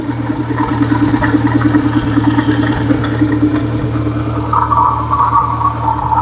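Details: Renault Clio 182, about 139,000 miles, likely needing service, plugs and leads, with a misfire; steady idle with light irregular chattering rattle over engine hum, the deep phasing noise, suspected worn inlet cam phaser, not confirmed.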